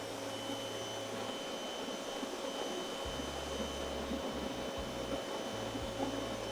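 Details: Active 2.0 electric pressure washer, just over two years old, stock nozzle, measured about 1.84 GPM and 825 PSI, below the advertised figures. Steady high-pitched motor whine with an even spray hiss, no surging or rattles; running normally.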